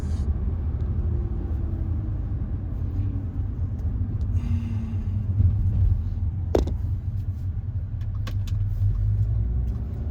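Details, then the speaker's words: Tuned Audi A4 2.0T, K04 turbo, stage 3 tune, warmed up, after new Eldor ignition coils and NGK BKR8EIX plugs gapped 0.025 in: deep, even rumble pulling under load, no stutter or bucking; runs clean, earlier multi-cylinder misfire under boost fixed. "Okay, we warmed up. Yep, good to go. Oh, yeah. Much better."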